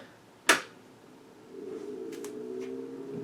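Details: IBM PC 5150 with its monitor being powered up: a sharp switch click, then fan and drive hum spinning up to a steady drone. It is a normal power-on, and the blinking green cursor follows.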